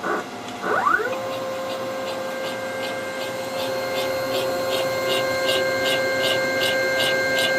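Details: Home-built CNC machine during axis moves, rails and ball screws aligned within about five thousandths: steady mid-pitched motor whine with a sharp tick about four times a second; some whip seen, cause unclear; abnormal noise.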